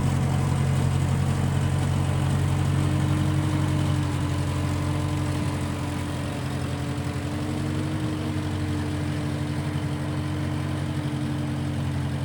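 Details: 1955 Massey Ferguson MF65 tractor, in family 30+ years, restarted after sitting a couple years; carb cleaned, Marvel Schebler carb may need slight dialing in. Smooth, even four-cylinder at steady low pace, no knocks or stumbles; normal running.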